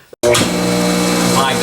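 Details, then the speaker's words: StaRite OptiFlow 1 HP pool pump after replacing its screaming front and rear motor bearings: motor switches on and settles into a smooth, steady hum with no squeal or grinding, sounding like new. "goodness that is exactly how the pump sounded when it was brand new"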